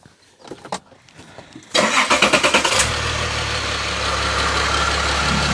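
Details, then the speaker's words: Renault turbo at 99,388 miles, restarted warm after a drive, microphone left in place: cranks and catches, then a rough idle with a light quick ticking on top, sounding tired or tensioner-like; source not pinned down. "Definitely sounds like something's a bit tired, shall we say. Worrying times."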